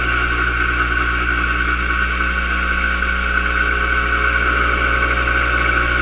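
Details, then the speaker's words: Single-phase compressor motor after its start-winding wires were swapped to reverse rotation, running on reduced voltage so slow to spin up; a steady hum with a constant high whine and no knocking, running normally. "Now you hear it starting to speed up. There we have it. See how that works now running."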